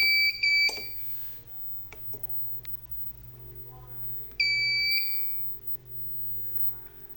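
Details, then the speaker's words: Inverter with control PCB stacked on heatsink, battery-powered test: two sharp high-pitched buzzer bursts about four seconds apart over faint hum; low DC voltage alarm. "Ini sudah kebetulan low DC tadi."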